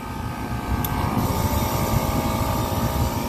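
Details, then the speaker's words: Copeland digital scroll compressor in a Liebert unit: a steady low drone with a faint tone shift and no knocking or rattle. The changing tone and clicks sound broken but are normal solenoid-controlled capacity modulation. "not broken all right it's not broken this is what you call a copeland digital scroll compressor or i guess a digital scroll compressor whichever"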